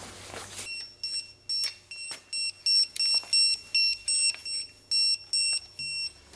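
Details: Jaguar F-Type (X152), bell housing bolts being torqued to 48 Nm during engine-transmission reinstall: repeated short high-pitched beeps, about two to three a second, in a quiet room as the wrench signals target torque.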